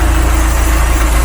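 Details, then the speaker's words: Steady, even low throb at idle with no knocks or ticks from a restored Mk3 Ford Cortina GXL 2.0 automatic, just started and not yet at temperature; engine now much quieter and healthy. "Whoa! Well, that sounds cool. That's a lot quieter."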